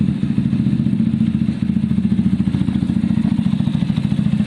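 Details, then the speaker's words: A Zontes motorcycle after repair of its bad idle and cut-out problem: an even, quick putter of about three and a half beats a second, no stumbles or cutting out; it runs smoothly. "it ran beautifully guys and it did not cut out problem solved"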